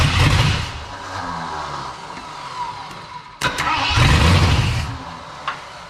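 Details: 1979 Ford F250 4x4 Sno-Fighter, sitting since 1986, powertrain sitting since 2016, rigged start with charger and starting fluid, no fuel tank hooked up: starter grinds, engine catches with short low roars that die; fires but won't keep running.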